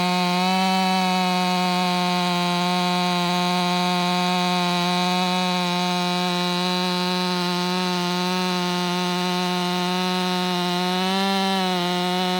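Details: Warmed-up, Empire Workshop-ported STIHL MS500i with stock air filter, 32-inch bar, sharpened chain and seven-pin sprocket: a high, steady buzz holds firm through the cut with only slight dips under load. A healthy saw pulling strongly.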